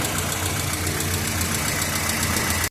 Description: Esse Renault Clio 1.0 16v 2003, chegou com barulho muito forte na parte superior do motor. No diagnóstico foi constatado desgaste excessivo nos balancins do comando de válvulas.